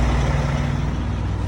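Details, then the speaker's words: Volvo truck after reinstalling the air dryer and governor assembly to fix a purge problem: steady, even low diesel rumble with no purge bursts or leaks; the air system is building pressure normally again. "And she's starting to build air again. Perfect."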